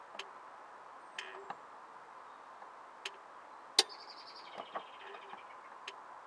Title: Clicking noise